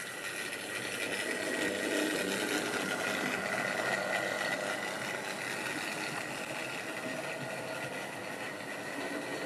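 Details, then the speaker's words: Wrenn West Country class model loco Lyme Regis, unrun since the 80s, couplings freed of paint on bearings; slight stutter noted, very smooth backwards. Steady, even motor whir with light gear rattle, no catches or grinding; runs smoothly and healthy. "So she is now not too bad. A little bit of a stutter. Very smooth backwards."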